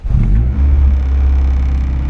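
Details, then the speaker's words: 1993 Honda Civic hatch, after Mishimoto cooling parts, already started once that day; owner suspects cracked spark plug wires or water flush caused earlier chugging: engine catches right away, steady even rumble, no stumble; normal start. "nope started perfectly fine which hopefully it's a spark plug wires but I don't know"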